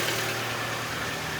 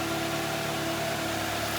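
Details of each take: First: Mitsubishi Lancer X 1.6 petrol (4A91/4A92), CVT, 211,000 km, some oil consumption: idle with a dry tinny rattle over the steady hum; suspected piston knock. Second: Mitsubishi Lancer X 1.6 (4A91/4A92), CVT, front-wheel drive, 211,000 km, after repair with new pistons and clutch, warming to operating temperature, heard from outside: smooth, even idle with a steady hum and no knocking; normal idle.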